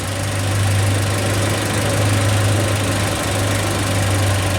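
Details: 2007 Kia Spectra manual, 166,000 miles, after crank no-start: steady low idle with slight uneven lope and surging; camshaft timing found about nine teeth before sync notch versus spec of third to fifth, way advanced, causing rough running.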